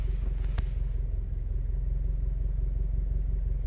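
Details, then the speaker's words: 2017-2018 Subaru WRX STI with air box fitted: deep loping rumble pulsing slowly and unevenly at very low idle, shaking the whole body; owner blames extremely low software idle speed, cause not confirmed. "good morning these cars never fail to amaze me like I'm sitting here the entire Kyser vibrating do you hear this it's idling solo"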